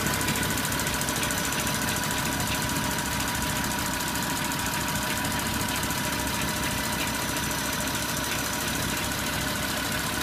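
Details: Porsche Cayenne 957 3.6 FSI V6 idling: a dry gritty timing chain grinding on the left side of the engine and FSI injector-like knocking/ticking on the right side.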